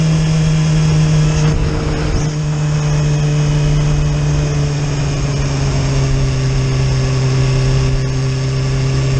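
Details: Yamaha YZF-R6 cuts power under load, mostly when climbing uphill; plugs were changed, the air filter cleaned and the throttle body checked without fixing it. A fuel pressure gauge test points to a suspected bad fuel pump. Steady drone with dips and surges: power cut-out under load.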